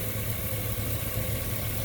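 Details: 2000 Chevy Suburban 5.3 Vortec with P0304/P0303 misfires from a leaking fuel pressure regulator; with the regulator vacuum line plugged off and the engine clearing itself, it idles with a smooth, even low rumble and no skipped beats.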